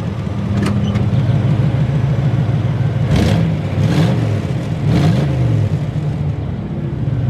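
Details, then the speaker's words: Buick Roadmaster wagon V8 outdoors with newly installed SPELAB electric exhaust cutouts open: deep, loud note with three quick throttle blips rising and falling cleanly, settling to an even idle; normal, healthy exhaust revving, better than expected. "Sounds pretty good. Way better than I was expecting, to"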